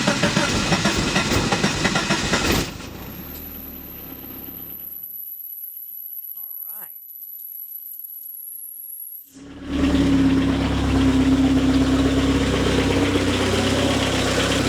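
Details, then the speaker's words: Car engine at first start after a head gasket change: fires and settles into a smooth, even idle with no knocking or tapping from the top end. Runs normally, though a split fuel hose is leaking badly. "up like normal sounds good except for the massive fuel leak"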